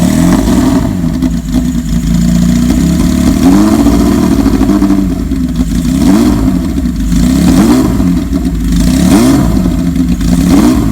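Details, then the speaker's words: 1979 Kawasaki KZ1000 LTD four-cylinder (Mk2 head) in a 1974 Z1 chassis, long-stored, carbs cleaned, new plugs and battery; fully cold start on full choke, catches and takes clean repeated revs, pulling up evenly, running well. "so now the bike is perfectly cold so what we're going to do is are going to put the choke all the way up"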